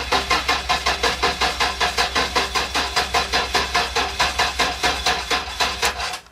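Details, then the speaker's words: 1994 Toyota 4Runner 3.4L 5VZ-FE swap, first start attempt with fuel added: steady cranking at about two and a half beats a second, no catch; no start, fuel pump outlet tube kinked and broken with a hole. "okay home with fuel uh the fuel pumps dead not dead but the uh that little antler nubbing thing that comes out of the top of the fuel pump it uh it was kinked and I guess it uh I guess it was broken so it's got a hole in it"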